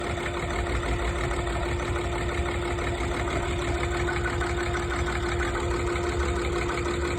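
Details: Tdv6 diesel V6 idling with an uneven, loping beat and a steady whine on top; rough idle, cause unknown.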